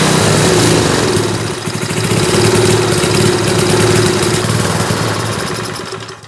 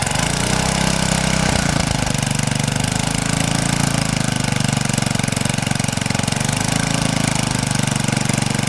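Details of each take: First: 1970s Hahn Eclipse BHT-120 tiller, 3.5 hp flathead Briggs & Stratton, decades unrun, first start on fresh gas after carburetor cleaning: engine surges and sags about four beats a second; unsteady running from a mixture needing exact tuning that drifts with temperature. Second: 1970s Hahn Eclipse BHT-120 tiller, 3.5 hp flathead Briggs & Stratton, revived after decades, tilling wet dirt: steady low chug that dips and recovers as it digs; normal healthy running under load.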